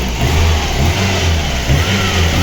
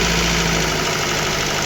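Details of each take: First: VAZ 2115 1.5 injector engine after new spark plugs, wires and ignition module, suspected camshaft knock: smooth even idle, no knocking, only purge valve clicking; head and pistons fine, injectors likely never cleaned. Normal idle. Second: VAZ 2115 1.5 injector engine, fully warmed up after a head swap with valve clearances set: a fast light ticking over an uneven idle. Pulling the plug caps doesn't change the sound, ruling out a con rod; piston slap or camshaft is suspected. Ticking noise.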